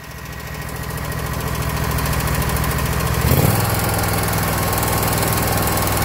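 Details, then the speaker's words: Kawasaki FX691V twin on a 2021 Scag Patriot with 80.6 hours, before adjustment: steady light ticking that keeps pace as it revs, from cylinder 1 intake valve lash at 0.010 in against the 0.004–0.006 in cold spec. "so yeah 80 hours on a Kawasaki FX 691 and I heard the a ticking sound that does not known or not normal for my trained ear Kawasakis have a little unique sound to them but this this was definitely the culprit"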